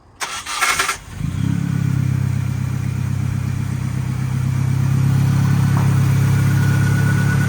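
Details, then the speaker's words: Mini truck needing starter, battery and carburetor: brief cranking then steady, even low idle after new starter, cleaning debris from the carburetor bowl (no fuel reaching it) and fitting a new fuel pump. "yeah i can't believe it fired up there's some in the car that we had to clean out"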